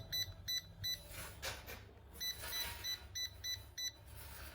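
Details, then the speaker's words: Yamasu laser level after cleaning and keypad repair, which had constant error beeping and stiff keys: clean, short high-pitched beeps, one per key press, no continuous error beeping left; keypad now responds normally. "Vậy là vậy V sinh lại đã hết lỗi tít tít tít tít nhá và xử lý phần phím nhá Đây bấm ngon Lnh luôn"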